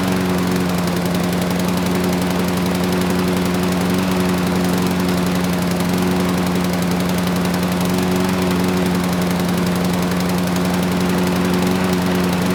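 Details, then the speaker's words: Free curbside Craftsman mower (917.374541), Briggs Quantum engine 128T02: a steady single-cylinder drone that is heavy and lumpy; owner thinks it's running rich, possibly from a stuck auto choke. "it started first pull and the drive system works but the engine it wasn't sounding great it sounded like the carburetor was running the engine Rich you know potentially the choke is stuck hopefully that's it"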